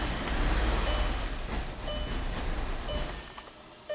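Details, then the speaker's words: 2012 VW Tiguan turbo GDI cranks with a rough rumble, catches a couple of seconds, then dies: a crank-start-stall, with fuel pressure only 10 bar against 48 specified and code P0087; the fuel pump is heard running, and the engine is misfiring and oil-covered. "So customer's right, it's a crank start stall. So we're not worried about anything except for the fuel pressure"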